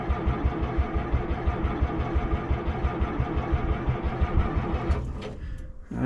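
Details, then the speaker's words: P&H H312 excavator in cold weather, around freezing, after frozen smoky running: slow even cranking pulses about 1.5 per second for five seconds without firing; hard cold start, owner may try ether. "might have to give it a sniff of ether."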